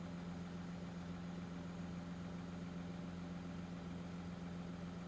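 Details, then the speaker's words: 2014 Audi Q7 3.0 L diesel with code P0263 cylinder contribution fault, check engine light, shaking and limp mode. It now runs at an even low idle with a steady drone and no misfire stumble. No codes present: normal idle. "So, engine is running. Doesn't sound too bad."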